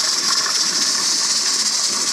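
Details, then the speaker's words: Pressure canner processing quarts of bean soup with ham at 10–11 psi on a 90-minute timer, heat turned down: steady, even high hiss with no breaks as the weight jiggles off excess pressure; holding pressure normally. "That is jiggling because anytime it goes over the 10 to 11 pounds, it lets it off. So it will never go above that. As long as you hear that jiggling, you know that it's working and that it's where it should be."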